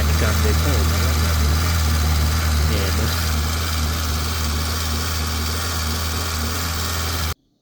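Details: 2007 Santro with a misfire and pickup loss when engine temperature is high: low idle with a rhythmic pulsing about three times a second and a slightly uneven beat, suggesting a misfire with the cause not pinned down.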